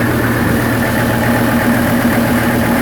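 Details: Hagglunds tracked vehicle diesel after extensive engine work, wearing in: steady, even idle, smooth low rumble, no knocks or misses; healthy, as it should sound.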